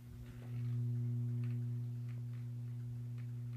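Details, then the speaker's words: Weltron WTP 802 8-track/AM/FM player, possibly 1970s, before power supply recap: steady low mains hum with a buzzy overtone from the power supply; owner suspects the 220 µF 25 V filter capacitor and plans to replace it. "And I've got some filter hum, let me let you hear it coming through."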